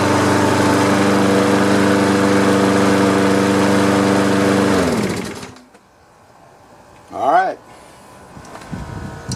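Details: Free Troy-Bilt lawn mower after carburetor cleaning, old gas flushed, blades sharpened and balanced: smooth even drone for about five seconds, then clean wind-down; running normally.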